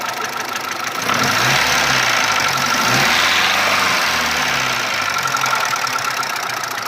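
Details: Mitsubishi 1.3 petrol engine after a rebuild with cylinder head and block replaced: rough, uneven idle rumble with a fast knock riding over it; cause not clear.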